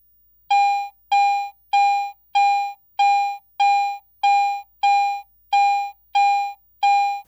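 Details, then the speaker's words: Garrett AT Pro International metal detector in Standard Mode, coin passed beneath the searchcoil: eleven identical full-strength mid-pitched beeps about every 0.6 seconds; binary audio, a normal steady target response. "This consistent target response is called binary audio... in other words, it is either on or off; it either beeps or it doesn't."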